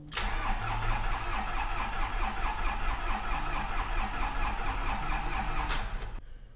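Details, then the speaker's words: Isuzu Grafter diesel truck with run-down batteries after weeks in the yard, charger on one battery: starter labours slowly and unevenly for about six seconds before finally starting; new batteries planned. "right so just put the battery charger on the other battery see if that helps in any way it's so close there we go"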